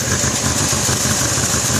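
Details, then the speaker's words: 2001 Cadillac DeVille Northstar, possibly cold: severe misfire, uneven lumpy idle chugging and stumbling, tachometer floating, engine shaking; check engine light flashes under hard acceleration. "nd it still misfires as I'm here there it's just chugging like crazy"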